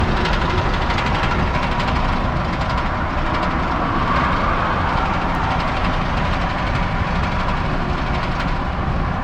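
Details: Ford F-250 6.7 diesel pickup engine running steadily, heavy rapid knocking mixed into its clatter.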